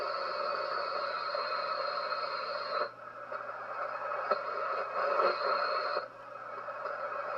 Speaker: it's everywhere it's literally freaking everywhere that's the center right there no matter where i go that noise is there